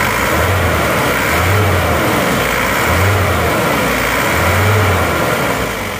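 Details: Isuzu Panther diesel at working temperature, after new original liners and piston rings fixed a compression leak that smoked at the oil filler cap and dipstick; even idle clatter with a few gentle rev swells that settle smoothly; normal idle.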